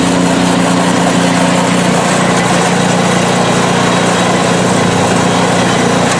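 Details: PowerSmart 24" snowblower small single-cylinder engine, ninth season, about 50°F outside, test run on sidewalk; smooth, even running at steady speed with no knocks, misses or surging; healthy, performing perfectly.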